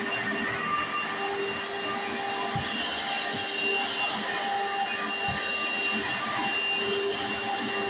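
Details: 1995 Hoover Encore Supreme U4261-930 upright vacuum, barely used, bought used in great condition, running: steady high-pitched motor whir, loud brush roll hiss, faint rhythmic thumps; owner notes one part makes a loud noise at switch-on and the brush roll sounds like a Singer vacuum; normal running.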